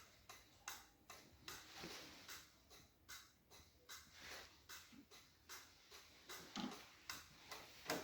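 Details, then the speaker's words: BMW R60/5 during restoration, ignition on, handlebar turn-signal switch worked right then left after rewiring: crisp, even flasher relay clicks about two or three per second with steady spacing; normal flasher operation. "And I hear the sound of the relay."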